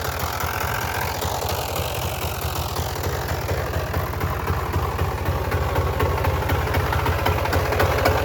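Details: Polaris Trail Boss 350, not started for a month or two, fresh battery just installed: quick start, then an even single-cylinder putter around four beats a second, steady and unlabored; healthy idle.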